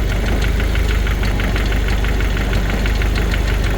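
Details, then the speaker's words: 1992 Jeep YJ 2.5 with a 5-speed and about 200,000 miles, warm idle after a radiator flush: light, even ticking rattle over a steady low idle. The owner suspects the chain tensioner, which is prone to failing, and may replace it; not confirmed. "You know, I hear this little rattle And I'm wondering if that's the chain tensioner. I hear that they are prone to go bad."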